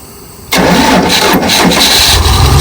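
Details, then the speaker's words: Dodge 360 V8 sitting for years, cranking with choke pulled: fairly steady chuffing beat, compression now much stronger than before, but one stroke sounds softer. Uneven cranking compression; one cylinder suspected low, possibly a burnt valve. "It's definitely got compression now. I mean, it's different than it was, I can say that. It was very weak, but you hear it now. Whoa, whoa, whoa. But it also sounds like one cylinder's a little bit down on compression, so I don't know what that is."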